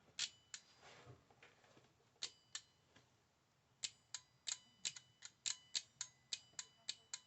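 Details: 12V car relay bench test, live power applied across terminals 85 and 87, crisp sharp clicks about two a second in a quiet room; the relay's magnetic switch is operating properly.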